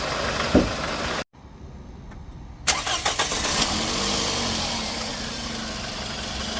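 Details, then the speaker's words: 2nd-gen Scion xB after repair of a loud engine-bay hissing noise with power loss: it catches and picks up cleanly on the throttle, then settles into an even run with no hiss. The slow throttle response is fixed. "all right guys so that was the problem um I'm not getting that slow uh throttle response anymore"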